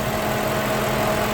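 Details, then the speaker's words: Lincoln Town Car after replacing an electric radiator fan motor that wore out after 19 years and caused overheating; idling warm, thermostat open, temperature normal. Steady mid-pitched fan whoosh over a smooth idle with no rattle; fan running normally. "Boy, it's good to hear that fan going. Yeah, I haven't heard that for a while, guys."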